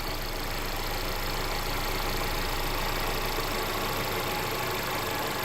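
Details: Mercedes CLA idling after a DIY oil change with Mobil 1 0W-40 European formula and an OEM Mercedes filter. Smooth, quiet, even idle with a steady hum and no ticking or rattle. No leaks were found; the idle is normal.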